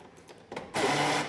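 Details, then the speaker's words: Fiat Uno driver's door: a harsh half-second whirring grind every time it locks, from the door lock actuator motor whose internal gear is worn; the driver's window also doesn't work. "Só para tá adiantando para vocês aí, esse defeito aqui que tá fazendo esse barulho aqui é o motorzinho da trava, tá? A engrenagem dele tá gasta"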